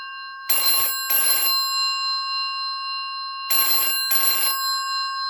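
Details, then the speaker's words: 1984 brown BT 8746 (Yeoman) rotary telephone with a 4000 ohm ringer: loud, bright double rings, each burst about half a second, every three seconds, after a bell tap. Healthy, strong ringer. "As you could hear, it did a bell tap before its initial ring. That's very typical of the 4000 ohm ringer as well."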